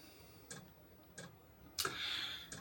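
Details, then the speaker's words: HCalory HBS1S 8 kW diesel heater starting up in a room around 9°C: sharp light ticks about every 0.7 seconds as the dosing pump pumps diesel while lighting; normal start-up pump ticking. "Ah, can you hear that click? It's starting up. So, it's starting to pump the diesel through."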